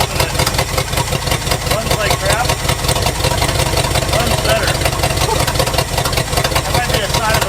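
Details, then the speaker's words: 1971 Lincoln Continental Mark III with points-delete ignition module, plugs look poor: uneven lumpy idle with stumbling beat and irregular exhaust pulses; plug-wire check shows two weak cylinders misfiring. "so looks like these two right here are our weak unhappy cylinders"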